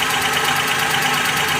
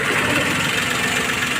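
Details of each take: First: Maruti Suzuki Alto 800 at idle: uneven, lumpy idle stumbling about twice a second; disconnecting one cylinder gave no rpm drop, showing it dead although its supply checked fine; cylinder misfire. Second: Maruti Suzuki Alto 800 three-cylinder after repairing a cylinder misfire: smooth, even idle hum with no missing beat or stumble; all three cylinders now firing, where one previously was not; normal idle.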